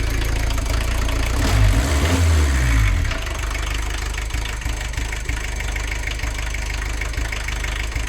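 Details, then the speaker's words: VW camper diesel with leaking, incorrect injectors, fitted and stuck in place by a previous owner: lumpy, knocking idle with uneven beats after a rev, though better than before. Rough idle from incorrect injectors. "Believe it or not, this is actually a lot better than it was before."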